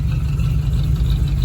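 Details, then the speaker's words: 1983 Chevy Silverado V8 at a steady, even normal idle with no knocking or ticking, after replacing a cracked flexplate that had caused the knocking and a drive of about an hour and 20 minutes. "drove it for about an hour and 20 minutes and that has fixed the problem huh"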